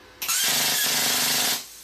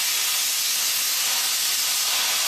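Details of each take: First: New plasma cutter on low supply voltage in New Zealand: a loud hissing arc with rough crackle sputters when the torch is off the steel, then returns to a proper cut on contact. Ground connections were checked tight; low voltage is the cause. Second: New plasma cutter, 55 amp setting, running directly on 240 V after sputtering on 110 V: steady, even hiss of the arc cutting cleanly with no sputter, clean stops as torch lifts; low voltage was the cause.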